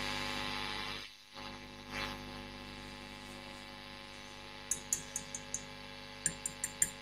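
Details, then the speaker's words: Marshall Kerry King Signature amp, preamp valves tapped with a chopstick, audio volume boosted: over a quiet hiss each tap rings through the speaker as a sharp, bright ping, so three preamp valves are microphonic and need low-noise replacements. "valve that one's microphonic that one's microphonic and that one's microphonic so we've got three very very noisy preamp valves"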